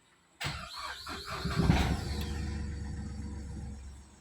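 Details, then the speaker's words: Diesel with a previous hard-crank complaint, after the gear-reduction starter motor was removed and serviced: brisk short cranking, then it catches within a second and settles to a steady idle; it now starts quickly. "നേരത്തെ പോലെയല്ല, വണ്ടി പെട്ടെന്ന് തന്നെ self എടുത്തു സ്റ്റാർട്ടായി."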